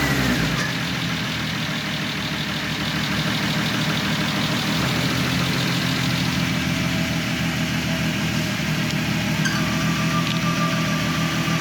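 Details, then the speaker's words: VW MK4 R32 turbo build, first start after rebuild with re-ringed original pistons, honed cylinders, new rod bearings, HPA head spacer and turbo: steady mid-pitched idle drone with a slightly lumpy pulse, no knocks or rattles; healthy. "there you go there's the first start"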